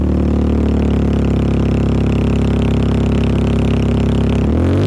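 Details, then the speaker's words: Mini Cooper S R53 with Borla cat-back exhaust removed, before stock refit: very loud, deep, raspy drone at steady revs then quick blip; open exhaust without cat-back section. "so it would be a cat back it'll be pretty loud because you got this resonator this one and that one"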